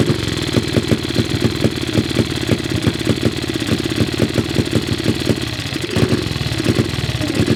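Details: Cub single-cylinder motorcycle at start-up: thumps about four a second, slightly uneven with one sag; carburettor idle screw seems too short to raise the slide enough for steady idle.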